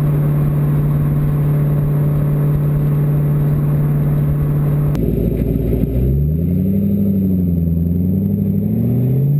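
Engine idles with an uneven, stumbling beat, then revs up and down unsteadily; the rough, lumpy running points to a misfire. Cause suspected, not confirmed.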